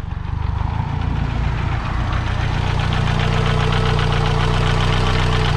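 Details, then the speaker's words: 1982 Renault 5 Alpine Turbo, warm idle: loud heavy bottom-end knocking at about 3–4 beats a second; owner fears a spun or failed connecting rod bearing; cause not confirmed. "je ne peux pas prendre le trou parce que vous allez voir le moteur claque vraiment et je vais je y couler une bielle"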